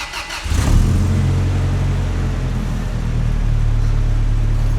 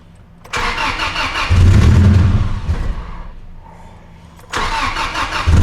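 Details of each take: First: Rebuilt 2TR-FE with forged bottom end, truck at 395,018 miles, start after reinstalling vacuum lines and airbox: short crank, quick catch, brief rev, then smooth even low idle with no knocks or ticks; healthy start. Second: Truck's first start, fuel pump primed: cranks, catches unevenly, stumbles and fades, then cranks again. The cause was a missing vacuum line at the PCV. Vacuum leak.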